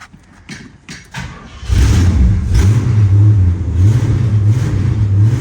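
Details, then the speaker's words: 1970 Pontiac LeMans V8 parked for 30 years, cold start: low, throaty V8 settles into a steady, lumpy idle after a rough start, firing evenly with no knocks or misses; it sounds pretty good. "this is a GTO from here forward this is a GTO sounds pretty good don't it"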